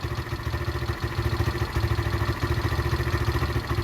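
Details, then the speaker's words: Derbi motorcycle, former non-runner, after carburettor and fuel tank clean: even, quick putter at idle about three beats a second, no knocks or misses; small engine running clean and healthy. "all right that's really um good going guys that's uh yeah i can hear it it's lovely"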